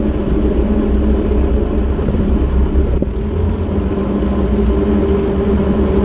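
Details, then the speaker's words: Ford 600/640 tractor abandoned for a decade, after a new intake/exhaust manifold and vertical exhaust: deep steady low rumble with an even beat and no knocks or rattles; idling smoothly and healthy. "well now ain't that a Sweet Sound I'm so glad to hear that that is absolutely lovely"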